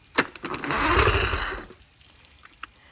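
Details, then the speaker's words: 1997 Champion bass boat outboard, which had trouble getting on plane, hotwired by crossing terminals: clicks and sharp cranking bursts, brief ragged catch dying after about a second; hard start, won't stay running. "All right, so as you can hear, we got the boat running. We just had to fiddle with it a little bit, but I'll show you guys here."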